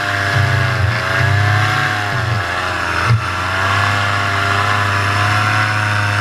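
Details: Paramotor in flight, throttle held wide open: strong, even buzz with steady RPM and no surging or dropouts. This is the normal full-throttle baseline, recorded before the engine later began losing power and bogging.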